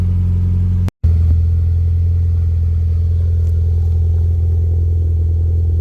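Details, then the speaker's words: Mitsubishi Lancer Ralliart with hood open, about 14,000 miles since earlier work, after the ticking and rattling was fixed: steady, even idle with only light normal SST dual-clutch chatter and no rattling left. "rard and just your normal SST chatter nothing crazy going on so car is in a very good condition right now I'm happy with it"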